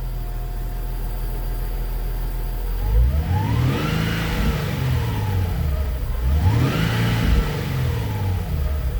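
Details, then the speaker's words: Nissan 370Z Nismo with long crank and low power, after fuel pump replacement, fuel pressure near 50 psi: two clean rev blips rising and falling smoothly from idle, no stumble; pressure steady, not dropping, fixed. "Nice and consistent. The fuel pressure is not dropping, guys. That's a fix."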